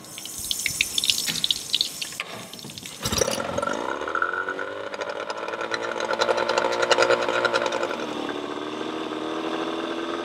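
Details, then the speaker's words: Yamaha 20 HP two-stroke pull-start outboard, water supplied, idling during timing light check; rough uneven idle with occasional pops, timing a few degrees before TDC, too advanced. "Hopefully you could see then, it was sitting at a few degrees before top dead center. So the timing's actually a little bit too advanced, it's firing too early."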